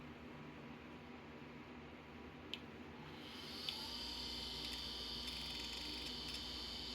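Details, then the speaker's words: Macintosh PowerBook 160 base unit rebuilt from scrap, first power-up: faint high whine as hard drive spins up, then steady hum with no head-seek clicking; machine powers up but drive does not run/seek. "Doesn't seem like it. I don't hear it clickety clackety clucko twinkulating. So, alright, well, at least we know the machine powers up."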